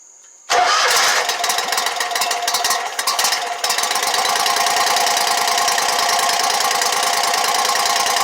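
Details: Exmark Lazer Z 72-inch commercial mower after a no-start repair, with fuel refilling the carburettor, catches quickly, stumbles briefly, then settles into a steady, even idle.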